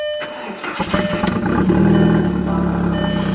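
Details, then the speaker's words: Engine in neutral after swapping back to the automatic ECU: brief crank, fires right up and settles into a steady even idle; the weird idle was blamed on the other ECU. "I did figure out why it was idling so weird with the other ECU it's just because the other ECU sucks put the automatic one back in and it runs just fine"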